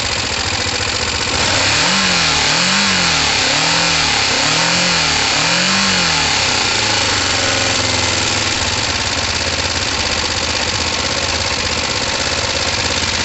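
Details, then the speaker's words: Kawasaki ER5 twin, not yet warm: several rising and falling revs then a ragged idle with occasional spit-back through the carburettors; owner thinks the fuel pump wasn't delivering enough fuel. "I think that fuel filtered, that fuel pump just wasn't putting out enough. That's why it was back spitting."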